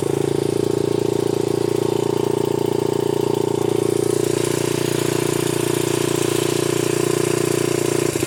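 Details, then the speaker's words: 1981 Honda XR80 four-stroke single after freeing a stuck float, started first kick without choke: steady, even thump at a slightly fast idle, no misses, stumbles or smoke; idling normally. "Sounds pretty good. Cannot beat an old Honda."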